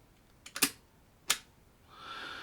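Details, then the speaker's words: 1950s Agfa Isolette Mk II medium format camera with Agnar 85mm f/4.5 lens and basic Vario shutter: grinding and clicking wind-on, then crisp light clicks as the leaf shutter releases cleanly. "so as we wind on you'll hear a little grinding and clicking i've already cocked the shutter and when i press the button you'll see the shutter releases"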